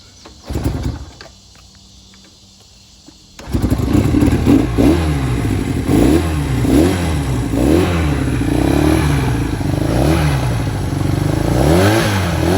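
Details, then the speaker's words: Fully restored 1968 Honda CL175 K0 twin, cold start at sea level with little choke; short crank then an even, lightly wavering idle with no knocks or rattles, normal cold start and idle. "doesn't really need a lot of choke here at sea level so we're just gonna fire"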